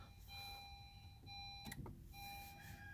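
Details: 2016 Honda Civic EX, push-button start: dash chimes beep steadily, a button clicks, then no starter or cranking; the car won't crank. Electrical diagnosis points to a bad neutral safety switch cutting the circuit, to be replaced.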